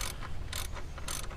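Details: 1998 BMW E39 M52, newly installed belt idler pulley spun by hand: short even whirs with a light ratcheting tick, no scrape or rumble; bearing turns freely.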